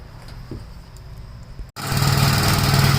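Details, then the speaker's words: 1956 Gravely tractor starting first pull on full choke: faint idle, brief dropout, then a strong steady single-cylinder chug settling evenly, normal start and idle. "My father's 56 started up first pull today on the full choke."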